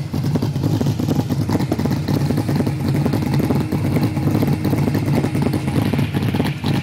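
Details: Holden Torana V8, 308 with B-cast heads and a Crane 280 solid cam: lumpy, uneven loping idle with light solid-lifter clatter; rough idle, cause not stated.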